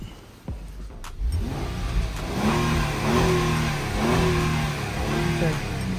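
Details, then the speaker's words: Honda Pilot revved after both catalytic converters were replaced for P0420/P0430. Before, the clogged cats kept the engine dying and it sounded like lifter or injector knock. Now it climbs cleanly through the blips and settles without stumbling or missing; it breathes freely. "that's good. I'm revving it up because when this one came here, you can't even start it."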